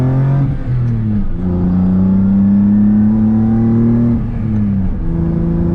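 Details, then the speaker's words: M50-swapped BMW E30 with solid mounts and a stage 1 FX clutch kit, POV driving: the engine pulls through the gears with a faint steady whine that climbs with road speed. The owner attributes it to the transmission, though the source is unclear; noted as drivetrain whine. "Like, you really hear the trans. Like, you guys probably hear it on video, like the whining and stuff."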